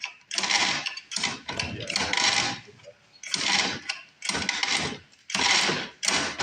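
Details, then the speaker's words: New recoil starter on a cheap used mini bike being fixed up, pulled seven or so times, each a smooth even whirring zip stopping cleanly with no catching or grinding; the starter sounds healthy. "recoil sounds excellent for a new one I bet that doesn't last any time at all"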